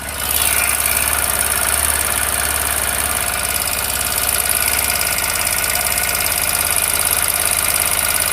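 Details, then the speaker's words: TVS Apache RTR 160 4V BS6 motorcycle at 6,898 km, idling; fast light metallic ticking from the top end, steady with engine speed; tappet/rocker arm tapping, valve clearance suspected. "इसका जो टाट का sound है या रोकर का sound आ रहा है वह देखते हैं पहले"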